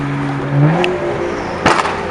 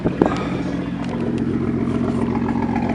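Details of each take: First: BMW M235i after new Bosch ignition coils and stage 2 spark plugs fixed misfire at peak boost: engine climbs smoothly and evenly through revs without stumbling or popping; normal turbo acceleration. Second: BMW M235i with newly installed coils and spark plugs broke down leaving a car meet: uneven lumpy idle, stumbling beat, shakes whenever throttle touched; hard misfire.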